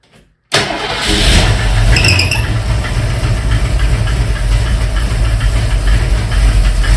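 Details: 1971 Mercury Comet GT V8 on a cold start at about 60°F with the choke set: catches after a short crank into a fast cold idle with a loose, uneven clacking tick on top, seeming to come from the engine front and worse when cold. Owner suspects the fuel pump arm or eccentric.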